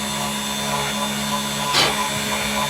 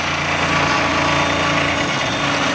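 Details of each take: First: 3018 CNC engraving with a 0.5 cutter: a steady high spindle whine with an even hiss from the cut and one brief scrape; a smooth cut with little chatter or Z-axis movement and no burrs. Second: 3018 CNC engraving aluminum: harsh high-pitched rattling buzz over the spindle whine, the end mill chattering and the Z assembly vibrating all over the place.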